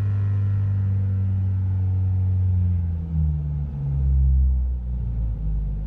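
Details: Renault Clio 172 with a misfire between 1000 and 2000 rpm: a low drone that surges and sags at steady throttle, with the rev needle jumping around.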